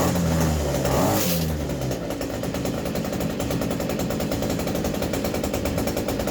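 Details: New Hyundai 50cc petrol brushcutter, fresh fuel, primed, choke on: after a couple of pulls catches straight away and buzzes at a fast steady beat; clean healthy cold start.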